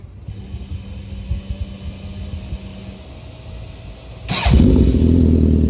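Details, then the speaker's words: Hot four-cylinder bike engine at about 195 degrees, restart after a sluggish first start during misfire diagnosis: brief crank then fires at once into a steady idle; owner thinks cranking depends on where the starter gear stops. "that time it started up faster"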